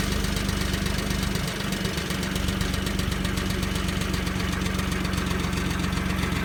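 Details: 1994 Audi V6 AAH engine, about 190,000 km, idling just after a cold start: steady low drone with irregular dull knocking from the bottom end, cause not identified.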